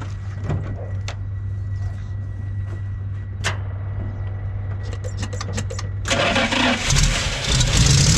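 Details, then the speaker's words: Old Dodge recovery truck, carbureted, electric fuel pump, choke closed, gas poured down carburetor throat. Slow cranking about six seconds, catches roughly, dies on releasing key; fuel starvation, ballast resistor also suspected as spark drops. "It made noise. That's a good start. But as soon as I let go of the key, it died, like from cranking."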